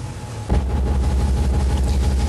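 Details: Control valve test rig with a 70–80 psid differential at the higher 200 psig inlet pressure, where no cavitation occurs. A smooth, steady low rumble of water through the valve with no crackling: normal flow.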